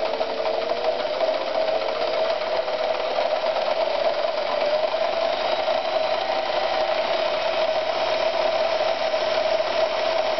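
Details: Victoria 128 FE sewing machine after servicing: smooth, even mid-pitched whirr with no knocks or rattles; runs cleanly.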